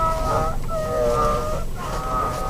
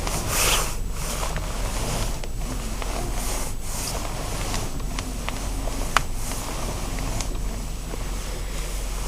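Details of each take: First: 2012 Nissan X-Trail T30, about 65,000 km: wavering squealing howl under hard steering wheel turning, from the steering shaft rubbing dry in its rubber seal where it enters the engine bay; fixed by cleaning and greasing the shaft and seal with Litol-24. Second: Nissan X-Trail steering shaft after its seal was relubricated: turning the wheel gives only a faint soft rubbing with a low hum, no squeak, and nothing is heard while driving.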